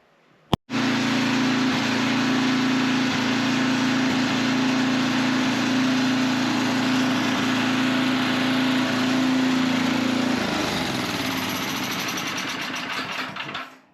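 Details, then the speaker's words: Old Kohler engine with carburetor after carb cleaning and reassembly, air filter still off: catches at once and holds a steady, even drone without hunting or popping, then winds down at shutoff; running pretty decent. "Okay, we've got that cleaned up, put back together. It seems like it's running pretty decent."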